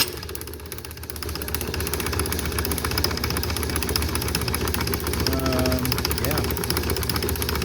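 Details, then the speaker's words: Magneto for a 1949 Ford F1 six, bench-tested with terminals 5 and 6 firing two grounded spark plugs: steady, rhythmic ticking of about two and a half snaps a second over a low hum, showing good spark. "You might not be able to see every single one because of the frame rate of my camera, but you can hear the nice rhythmic clicking."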